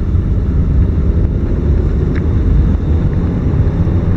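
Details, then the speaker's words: 1997 Ford Escort four-speed automatic with torque converter clutch, during P1744 diagnosis. Steady engine drone under acceleration through shifts one to four with no flare, slip or clunk. Normal smooth upshifts. "two there's three number four is about to come up there's four right there to the RPM drop open"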